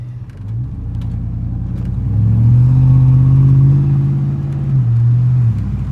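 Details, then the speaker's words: 2002 Chevy Silverado (possibly 2500) with a noise on turns, driving straight: smooth low rumble rising and settling with road speed, no clunks, whine or grinding; drivetrain normal when going straight. "When I drive straight, suppose everything is fine, as you can see right here."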